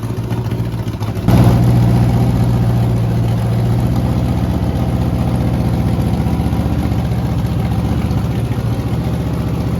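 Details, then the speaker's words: Rebuilt 5.3 LS V8 at first start, Truck Norris cam, BTR beehive springs, MSD ignition box, after a coil swap cured roughness: a lumpy, loping, uneven idle. Rough running, rich mixture from an oversized race carburetor. "Um so it's obviously putting way too much fuel on it. So it's not running the best."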